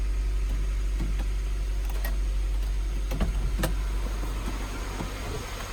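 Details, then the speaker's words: Honda CR-V idling cold after an oil change: a steady, even low idle with no stumble or skipped beats; the previous slight misfire is gone. "It would like kind of like it did have like a little misfire, but now it looks like it doesn't even like misfire at all. That's pretty cool."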